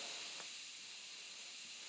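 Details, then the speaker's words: New house water supply line being filled after connection: steady high hiss of air pushed out by the water pressure as the pipes fill; normal, stops once full. "- A je normálne, že vydáva tento hluk? - Áno, áno. - Prečo? - To je tlak."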